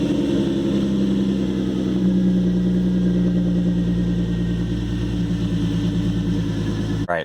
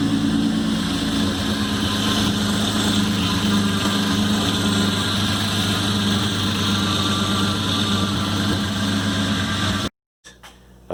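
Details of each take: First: 2013 Hyundai Genesis Coupe 3.8 V6 Track, manual, after a DIY power steering pump replacement: steady, even idle with a smooth low hum; the earlier pump whine is gone, so the install succeeded. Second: 2013 Hyundai Genesis Coupe 3.8 V6 Track, manual, at idle before pump replacement: steady idle rumble with a thin, constant whine over it from the failed power steering pump.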